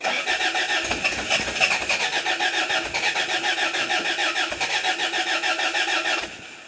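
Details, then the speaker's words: 1977 Toyota Celica, first start: steady starter churning at three to four beats a second for six seconds without catching; no fuel, as it needs gas and the fuel pump was not yet wired. "i'm gonna have to put some gas in it i figured the oil pressure would have come up so okay see what happens"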